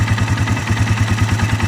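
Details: 2012 Polaris Sportsman 500 H.O. single-cylinder ATV, three days old, CVT: steady low knock about eight beats a second at idle; owner also reports harder deeper knock under load like piston or rod slap; cause suspected, not confirmed.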